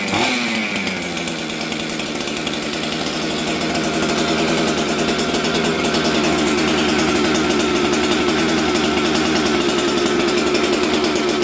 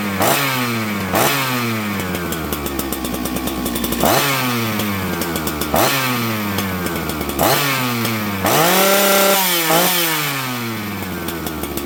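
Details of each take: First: Auction 266XP two-stroke chainsaw fitted with a new ignition, jets set the night before, starting on the first pull: high, buzzy, slightly racing run that climbs a little; low-speed jet a touch lean, so it is to be turned richer. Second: Husqvarna 266XP auction chainsaw; crisp two-stroke blipping cleanly from idle to full revs and back, tunes beautifully, healthy.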